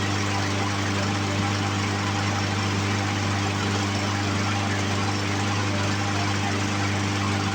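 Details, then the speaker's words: Poulan Pro push mower with Briggs & Stratton 550EX engine, after carburetor cleaning: even, steady single-cylinder drone at one speed with no surging or sputter; carburetor issue fixed, running smoothly. "Okay, so safe to say that we have fixed our carburetor issues that we were having."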